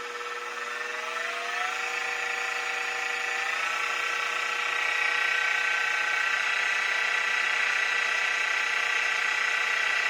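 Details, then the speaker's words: Mini mill with new belt drive kit running in low gear (up to about 1100 rpm): smooth steady motor whine rising evenly, no gear grinding, clunking, clacking or lever rubbing as before the upgrade; normal belt drive running. "That is so much quieter. No more of that gear grinding, clunking, clacking."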